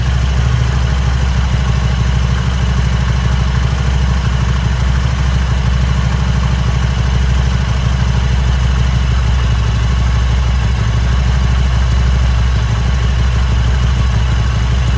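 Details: Harley-Davidson Sportster after four months of cold-weather storage, started easily with a car/motorbike battery jump starter kit; deep, loping V-twin idle holds steady without stumbling or dying; healthy idle after the jump start.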